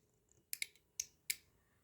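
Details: Automotive relay bench-wired as a trailer-lamp circuit, switched by grounding the trigger: crisp single clicks with a few quick pairs, sharp and clean on each switch; the relay is engaging properly.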